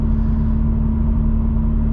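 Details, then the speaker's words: 2021 Toyota Supra with muffler delete and FI downpipe, cruise set at 60 mph, windows up, cold weather: constant deep droning boom filling cabin, worse at 75-80 mph; exhaust drone from removed muffler. "I don't know if you can hear that, but the drone is just horrible. And it gets even worse on the freeway doing, 75, 80 mile an hour. It gets just pretty much unbearable."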